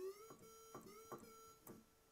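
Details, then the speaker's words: 1984 Roland Juno-106 synth in test mode, Noise at zero and Square Wave on: test tones step clean through voices 3, 4, 5, 6 and 1, but voice chip 2 (A1QH80017A) stays silent; dead voice chip, epoxy removal planned. "Now, I've checked the sound, and there's definitely a problem with voice chip number 2."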